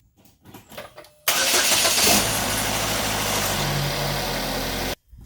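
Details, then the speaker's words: 2015 Chevy Equinox started right after installing a new replacement battery: a short crank, then the engine catches at once and settles into a smooth, steady idle with no stumbling; normal start, battery working fine. "Alright, car started, battery's working fine."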